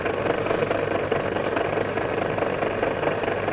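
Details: MORI MA-100 antenna rotator running on the bench after assembly: steady mid-pitched motor drone with loose, uneven ticking about twice a second; odd gear noise, alignment troubles during reassembly, no clear cause.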